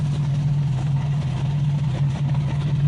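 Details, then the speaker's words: Honda CB350F four-cylinder at idle after a cam chain adjustment: a steady, even, smooth hum with no whine or rattle, so the cam chain whine is gone. The exhaust and breather are smoking; owner suspects the rings need to break in. Normal idle. "but uh it's not making the noise anymore so i'll start it up here in red for you guys and show you what's going on in the back here all right so really it starts up pretty well"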